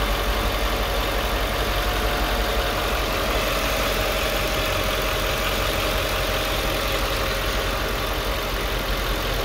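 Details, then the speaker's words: 2005 Mercedes E55 at 165,000 km during check-up: steady, even idle hum with no stumble; runs nice and smooth, though there was difficulty on starting. "nice and smooth there was a difficulty on starting"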